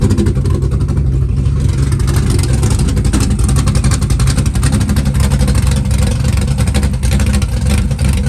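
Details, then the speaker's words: Green Chevelle with a big camshaft, started cold in snow. Deep, lumpy rumble holds a steady idle right after the cold start with no choke. Normal idle. "yeah it's already idling no choke told you I told you to the caming 10c cry right here how about that how about that for a cold start"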